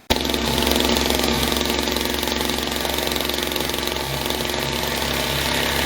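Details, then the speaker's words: Old Skyron CG 330 brushcutter on test: busy two-stroke buzz with heavy vibration and odd rattling at the transmission; suspected worn clutch drum bearing or clutch itself. "il ya une grosse vibrations au niveau de la transmission et ça fait un bruit bizarre donc soyez le roulement de la cloche dans voyage qui achètent ce soit il ya peut-être l'embrayage lui même qui achètent"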